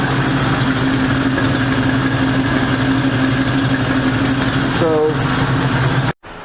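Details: 1973 Ford Mustang Mach 1 with a 351 Cleveland V8, sitting since last fall, before repair: steady idle with a quick regular ticking puff from an exhaust manifold gasket blown at the corner; the manifold bolts are rusted.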